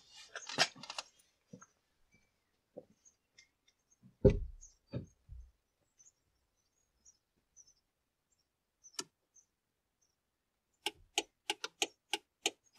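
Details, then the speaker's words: DIY trailer lights controller with the car's right-hand indicator on: crisp light clicks, about two a second, in a quiet room as the relay coil is fed by the indicator signal; working normally. "that's the right hand indicator working there and the little relay is clicking in and out"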